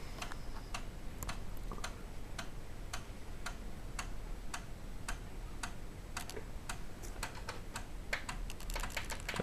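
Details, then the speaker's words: Samsung SFD-321B PC floppy drive on Amiga after taping over the disk's HD hole so it reads as double density: steady run of sharp head-step clicks, a few per second; sounds different, loading directly, normal read. "so let's see what happens now that sounds different and we are going directly into the"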